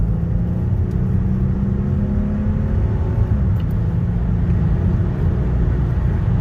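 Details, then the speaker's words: Mercedes GLK350 (3.5L V6 M272) at 180,000 miles, road test after replacing never-changed spark plugs that caused shaking: steady even low rumble with road noise, no stumble or shake, pulling smoothly with no misfire. "so right now it's a 180 and it's just performing excellent noise shaking smooth"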